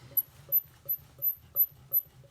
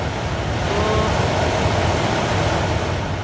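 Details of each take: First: Opel/Vauxhall Astra Twintop heater blower fan removed from the car: sharp, high chirping squeaks two to three times a second as it turns, from a dry motor bearing. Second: Astra TwinTop heater blower motor refitted after fixing a squeak and motorbike-like noise caused by the motor sitting at an angle, run on speeds one to three: even air rush over a smooth motor hum, no grinding or squeal, normal running.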